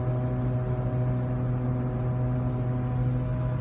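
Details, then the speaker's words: Mercury Mountaineer at steady 70 mph highway cruise, mic in cabin: constant low droning whine; worn rear differential, grown much worse over months, to be replaced with salvaged 70,000-mile unit. "Yeah, holding a conversation in the truck with family members is becoming unbearable. It's very loud."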